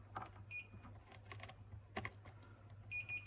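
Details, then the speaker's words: Jamo Sub 300 subwoofer circuit board repair after pads lifted near replaced capacitors; short high-pitched multimeter continuity beeps as probes touch, between light clicks and taps; traces confirmed connected top and underneath. "a good Buzz there um but oh and there is a good Buzz underneath too so they look good"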